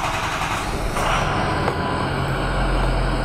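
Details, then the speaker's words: Ford 6.0L Powerstroke diesel idling on first start after fuel injector installation and bleeding air from the high-pressure oil system. Steady, smooth low rumble with no misses or knocks; seems to be running on all eight cylinders. "good deal it's started it's run on all eight cylinders at the moment or certainly feels smooth"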